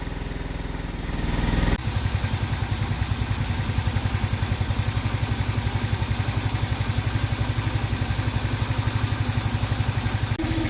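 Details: 50cc two-stroke scooter just revived after a couple hours of tinkering: settles into a quick, steady, even putter with no misses; healthy idle, though it still needs more tuning.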